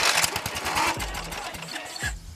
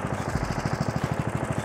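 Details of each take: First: Old Murray 18hp riding mower, Briggs & Stratton engine, after carburetor replacement and fresh oil, engine cover off: cranks, stalls, then catches into a choppy uneven idle; owner thinks it needs a new spark plug; rough running. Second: Murray mower with 18 hp Briggs & Stratton engine after carburetor replacement and adjustment, engine cover off, burning off oil: even quick low thumping, smooth with no misses or knocks; normal idle.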